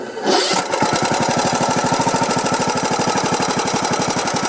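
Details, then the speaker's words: Briggs & Stratton Platinum 21 hp small engine: short crank catches, then runs with a sharp, evenly paced clicking, almost a knock. Suspected compression release/valve problem, engine on its way out; not confirmed. "hear the click well if you're here it's almost a knock but it's really that clicking right so if you can hear that that is on its way out"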